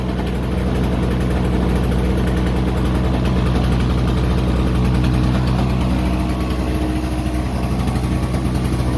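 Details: Toro CCR2500 snowblower, 5 hp two-stroke, after carburetor cleaning from a no-start, muffler full of oil: steady, even putter that holds speed for the whole clip without surging or dying; normal running.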